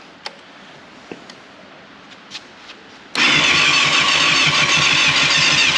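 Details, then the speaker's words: 1989 Yamaha FZR600 Genesis, unstarted for over 4 years, new battery, hand over muffler for back pressure: steady starter churning about two turns a second that never fires; owner suspects varnished old fuel, unconfirmed. "i can smell the old fuel yeah it feels pretty bad it's like varnish so i actually don't think it's going to start"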